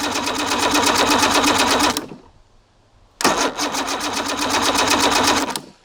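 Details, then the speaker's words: Evinrude 150 XP outboard, abandoned, cranked with a remote start switch while a timing light checks for spark: two rapid cranking bursts that never fire. No spark; trigger/timer base suspected. "nothing guys it does not have spark so we're going to have to dig a little deeper"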